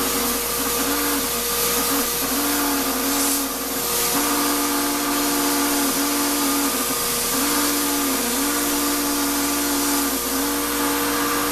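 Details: Shop-Vac used to vacuum coarse tumbling grit: steady high motor whine with a grinding, wavering tone that dips and recovers every few seconds and very little suction; dust drawn through the motor before a dust separator was fitted damaged it.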